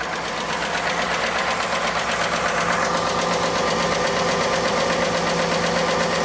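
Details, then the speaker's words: 2018 Ford F150 4x4 V8 XLT, sold cheap as having engine problems, idling: a sharp, regular tap about three times a second. The owner rules out the high-pressure fuel pump and suspects a top-end tick, possibly injectors. "To me, it sounds like an upper end tick, like a top end."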